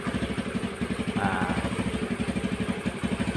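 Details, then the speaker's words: Honda Beat carburetted scooter that had stalled with no spark, started on the old spark plug after the yellow and blue-yellow coil wiring fault was found: it fires up and settles into an even, steady putter, a normal healthy idle. "Sekarang kita nyalakan kunci kontak dan menghidupkannya. Dengan nama Tuhan. Dan syukurlah, sepertinya sudah dimulai, teman-teman ."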